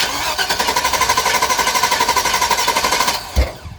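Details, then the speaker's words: Chevrolet 2500 Suburban, Vortec 6.0 liter, started cold after sitting a couple of days: steady cranking for about three seconds, brief catch then dies; hard to start hot or cold, owner suspects fuel pressure regulator. "poof i think it needs a fuel pressure regulator also because you won't start hot or cold you gotta crank it two three times"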